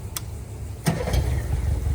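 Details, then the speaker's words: Yamaha 60 hp outboard on a 17'5 On the Bay Craft skiff, restarted once more after its first start: a couple of clicks, then it catches and settles into a steady low idle rumble; normal clean start and idle. "Sounds like she's running good to me, brother."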